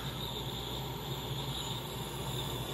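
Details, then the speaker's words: 2017 Heatmaster G100s outdoor wood boiler: cold start button pressed, damper opening and air sucking in, a steady even rush over a low hum with no flutter or rattle; normal air draw through the damper. "So opening up to get more and more air. It's just starting to get to the opening there. Hear the air starting to suck through there."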